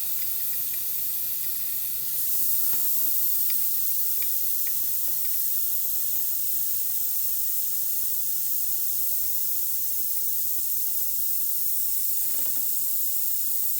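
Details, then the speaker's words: Compressor being prepared for installation: Schrader valve on the access port cracked open, giving a steady high airy hiss of nitrogen. Both sides still held their nitrogen charge, a good sign the compressor is sealed. "I can now turn that counterclockwise and you can hear the nitrogen beginning to be relieved I'll do that over on this side as well"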